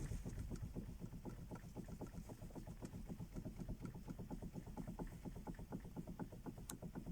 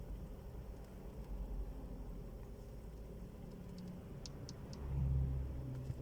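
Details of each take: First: Toyota Camry 40, about 220,000 km original: light sharp clicks about four a second as steering wheel is worked, engine silent; worn splines in steering intermediate shaft (cardan), not the steering rack. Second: Toyota Camry 40 driving after the steering rack was replaced with a new one: quiet, even road rumble with mild engine swell, no knocks or clunks from the steering; normal.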